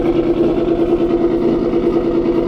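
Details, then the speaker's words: Boosted V6 Mustang at idle: a fast, even ticking knock rides over a steady idle, keeping pace with engine speed; the owner calls it engine knock, more ticking than knock, cause not yet pinned down. "if you guys can hear it I have engine knock uh it's kind of more of a ticking than knock"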